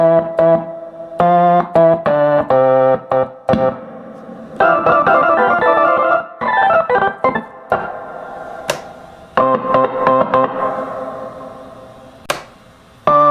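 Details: Antique Jaguar organ after repair of a constantly playing chord and sticking keys, foot pedal still not working: clean, steady tones on every chord and run, no stuck notes or hanging keys. Normal organ operation.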